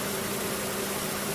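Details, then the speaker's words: Car engine idling right after a DIY oil and filter change, not yet fully warmed: steady, even idle with a low constant hum and no knocks or ticks, no leaks from the plug or filter. "Now it is changed and ready. So what we want to do is start it up and check and see if it's leaking underneath."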